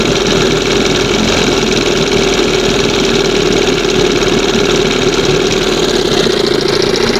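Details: 1971 Johnson 20 hp outboard, several carbs tried, current one with two-hole butterfly: steady fast buzzing idle that never settles; high idle, air/fuel leak, reeds or pump suspected.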